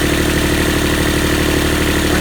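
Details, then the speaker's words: Universal 25XPB diesel in a Catalina 30 sailboat during winterizing, after an oil change, run about 15 minutes at 1700 rpm and near its 140-degree running temperature: smooth, even diesel clatter at constant speed, no misses, knocks or hunting; normal. "sounds good. So it's been about maybe 15 minutes, and I've been running the engine at 1700 RPMs. It's been running great."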